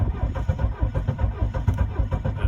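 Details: 1982 Mercedes 240D W123 diesel, sat at least three years, cold day in high 30s °F, glow plug light acting oddly: loud rhythmic low chugging about four to five beats a second, slow cranking, nearly catching but not starting; cause unconfirmed.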